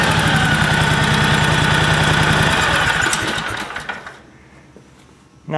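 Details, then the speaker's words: John Deere 757 Z-Trak with Kawasaki V-twin, running on all cylinders after repair, valves not yet adjusted: steady light ticking about four per second at idle before shutdown, suspected lifter/valve tick from rocker arms needing adjustment. "don't know if you can hear that in the video but I hear what I think is like a lifter tick on on the on the valves there so but it it is running on all cylinders so I'm I'm happy with that"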